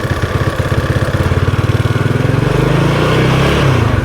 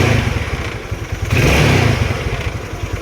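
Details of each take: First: Yamaha Mio Sporty 115 scooter with no steady idle and hard starting: idle keeps climbing and sagging by itself, rising then dropping back, from an air leak through the fuel cock vacuum line. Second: Yamaha Mio Sporty 115 scooter after replacing the fuel cock: starter noisy, but it idles with an even putter, picks up cleanly on a short rev and drops back to a stable idle; healthy.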